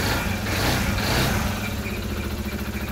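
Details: SYM Voyager GTS 125 scooter after repair (shorted charge control unit CCU and dead battery replaced, engine previously wouldn't shut off with key): quick steady putter at idle, even beat with no misses or knocks; idling fine.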